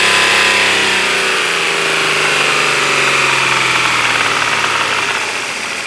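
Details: Engine running with a loud, fast, fairly regular knock of about three to four per second over the idle; engine knock, cause not yet known.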